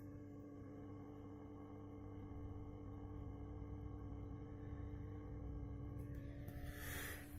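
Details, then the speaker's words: Orange RockerVerb 50 tube amp needing nearly all tubes and filter caps replaced: steady hum with low, uneven putt-putt motorboating throb slowly growing louder, before repair; tapping power tubes changes the sound. "now it's doing more like a... It sounds like a motorboat going down the river."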